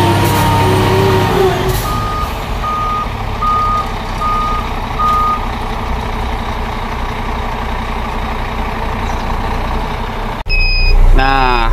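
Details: Scania P410 truck at diesel idle: evenly spaced high beeps that stop when switched off; the inter-wheel differential lock warning alarm, checked while troubleshooting uneven braking.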